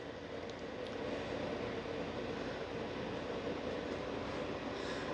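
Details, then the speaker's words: Newer French-apartment portable AC unit with its air blower outside, set to cool with 25 °C shown on the front; a soft, even, quiet hum with a faint steady tone and no rattles or cycling, running normally. "Now this unit, because the air blower is outside, is much quieter. And we're set to cool right now."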